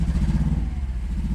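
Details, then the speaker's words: 5th-gen Honda Prelude 2.2 VTi VTEC, swapped ECU: lumpy idle with a regular uneven chuff about every tenth of a second; misfire, not firing on cylinder 1, only rare spark there, strong petrol smell; cause not yet found. "There's no point having a car that only runs on 3 pistons."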